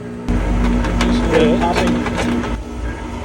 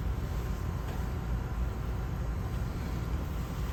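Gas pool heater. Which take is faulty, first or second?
first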